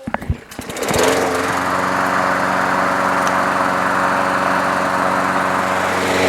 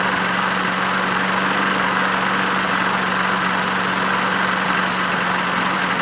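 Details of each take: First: Craftsman push mower, Briggs 6.75 Quantum auto-choke engine after swapping in another carburetor: starts and holds a steady, even high-speed buzz for ten seconds without hunting or surging, then shuts off; runs much better. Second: Craftsman push mower, Briggs 6.75 Quantum auto-choke engine, first run after winter storage: steady buzzing drone with ragged uneven beat, runs rough and rich as if stuck on choke; primer hole to Welch plug suspected vacuum leak, carburetor fault.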